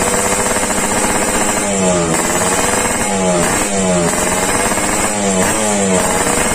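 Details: Yamaha RX King two-stroke, warmed up after daily tuning, exhaust test: crisp crackle with repeated clean blips, pitch climbing and dropping evenly on each rev. It responds well and sounds healthy.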